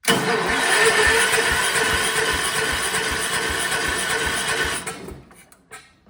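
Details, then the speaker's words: Free vintage Kohler generator from a motorhome, big flathead engine (guessed 400–500 cc), apparently low hours: starter churns about three turns a second for nearly five seconds without firing; cranks but won't start. Owner suspects carburetor needs cleaning, needle valve possibly stuck closed. "Well, it looks like the carburetor needs to be cleaned out because it definitely did not even try to crank over at all. It's possible the needle valve could be stuck in the closed position."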